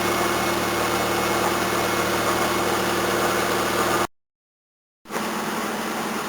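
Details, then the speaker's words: 1981 Toyota Corona RT132R, 18R-C engine, after tappet adjustment only: steady, even, faster idle about four beats a second with faint water pump whirr, no stalling or shaking; normal idle. "Running so much better, a lot faster too. Still all I can hear is water pump. Much nicer."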